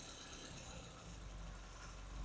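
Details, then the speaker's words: Engine in an MBT ignition timing demonstration, swept from normal timing to retarded: low, lazy idle that sags and lumps unevenly with dull, weak firing, reviving when timing is restored. Rough idle from ignition retarded below MBT. "sounds like shit. Bring it back, comes back to life."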